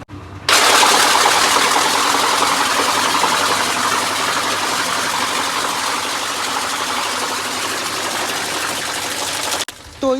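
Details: Whirlpool top-load washer in spin (dry) mode: loud, harsh grinding rattle throughout from a foreign object that got in with the clothes and is trapped under the pulsator.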